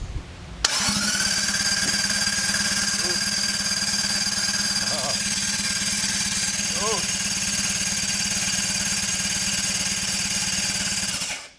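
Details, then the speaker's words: Toyota Cressida project with a turbo V12 engine, cranking on the starter during the build: steady, even cranking with a smooth starter whine and regular compression pulses, no hesitation or clatter. Engine turns over normally. "it sounds like a 1gz on the starter that's pretty good actual legit noises ish"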